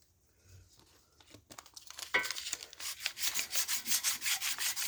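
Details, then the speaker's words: Small-block Chevy block, starter ear repaired by TIG welding with preheat but overheated: steady rasping file strokes, about three a second, with harsher skip on one stroke at a hard spot in the weld. "You probably heard when I was filing this, I had a little hard spot right there. You can hear it when you hit the file, and it."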